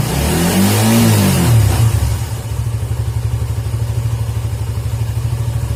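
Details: Suzuki GSX motorcycle whose stumbling or near-stalling on closing the throttle was traced to a dirty idle speed control (ISC) valve, fixed by cleaning it. Revs up smoothly, then settles into a steady, even idle with no stumbling as the throttle closes. Normal idle and rev.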